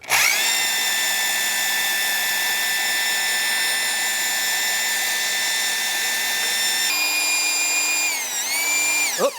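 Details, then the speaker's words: 1974 Dodge D100 360 V8, revived after sitting years, oil pump primed with a drill before intake install: steady high whine, pitch sags near seven seconds as the pump loads and builds oil pressure; oil seen at lifters on both sides. Normal priming. "And we're going to spin it up until we hear a load. We've got to fill up the filter and then we got to get pressure going up."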